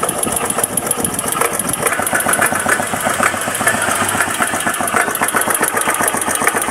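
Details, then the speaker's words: Keeway CR152 single-cylinder motorcycle after connecting rod/crankshaft and clutch housing rubber damper replacement: even, steady idle thump about three to four a second, no bottom-end tapping knock; the earlier tak-tak-tak noise is gone, normal idle. "Yun, ang tunog ni Biyaya, ganyan na siya ngayon."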